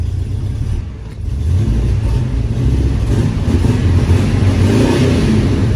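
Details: 1975 International 200 pickup V8 found in a field, after switching a couple of plug wires; previously wouldn't idle: deep rumble rising steadily under throttle with no misfire or popping, running much better; normal running.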